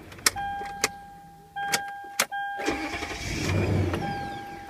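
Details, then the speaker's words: 2010 Toyota Sequoia, 207,490 miles, after bad starter replaced: few clicks then short even crank catching quickly into smooth idle; starter and start-up healthy. "let's just start it up see starts perfect"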